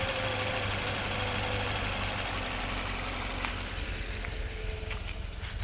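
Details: Toyota Verso 1.8 2ZR-FAE Valvematic, 180,000 km, petrol/LPG: shaking idle with occasional stumble; cylinder 4 occasional misfire; compression about 13 bar, plugs, coils, injectors, intake fine, no codes, spark advance varies 0–8; cause unknown.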